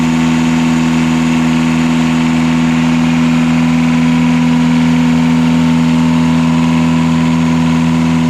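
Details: Catamaran diesel genset re-run on the bench after fixing two accidentally swapped controller wires that had caused wide-open throttle and shutdown; steady even drone, firm low hum, no knocks or misses: normal running.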